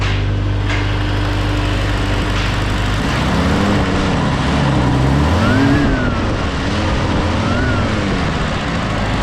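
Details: M151A2 military Jeep four-cylinder in neutral after new spark plugs and thermostat housing: catches and settles into steady idle, revs up and down cleanly with no misses or knocks; runs much better than before.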